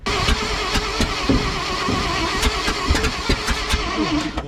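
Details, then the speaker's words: 1970 International Loadstar truck engine, previously locked up, cranked with starter fluid. Slow, uneven cranking with a few sputtering catches that never run; suspected weak spark and cranking too slowly to make compression. "may not have the greatest spark going on yeah just ain't spinning fast enough no that's exactly what I was thinking she ain't getting enough uh whirling going on making compression"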